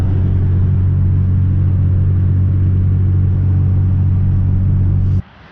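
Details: 2003 Acura TL Type S that had been misfiring badly, after a coil pack was replaced: a smooth, deep, steady hum at idle with no stumble or skip until it cuts off. The engine now idles cleanly.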